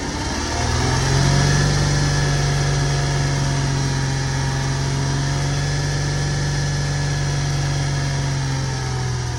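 A petrol engine idles with a steady hum and a faint, fairly regular knock, about four a second. Cause suspected, not confirmed.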